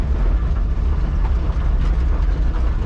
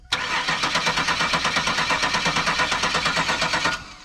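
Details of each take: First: 1970 Chevrolet Nova, revived after years sitting, heard while driving: deep, steady low rumble with an even beat, no misses or knocks; runs healthy. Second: Car revived after years sitting: starter cranks evenly at about three compression pulses a second for three seconds but never fires; fuel reaches the rail but no fire, cause unknown.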